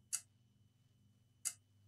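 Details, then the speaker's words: Asus TUF FX505 gaming laptop, dead, tested on a 19 V supply: sharp single clicks about every 1.3 seconds in near silence as the MOSFET keeps cutting power because the laptop's main power rail is shorted. "it's clicking you can hear that you can't see the light of the so basically the clicking comes from the mosfet cutting down the the power because the main power really shorted"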